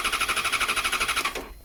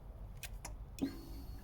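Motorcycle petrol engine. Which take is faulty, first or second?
first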